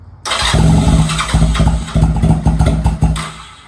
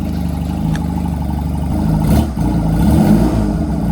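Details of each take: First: Honda Rebel 250 motorcycle first start after 27 years sitting, in neutral, choke fully up; cranks then fires in uneven chuffs that stumble and fade; hard starting, owner suspects fuel not yet circulated. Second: Honda Rebel 250 on its first start after sitting about 27 years, choke fully down; idles steadily, then revs in smooth blips and drops back cleanly with no knocks or misses. Needle adjusted; fuel tank off; battery voltage weak.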